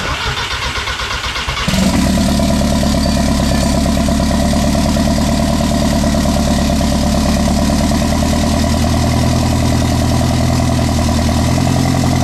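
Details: Mk1 Rabbit with a turbo engine and DQ250 DSG swap, running on E85, started after the unearthed coil was grounded; it catches after a short crank and settles into a steady, even idle with no misses. Normal start and idle.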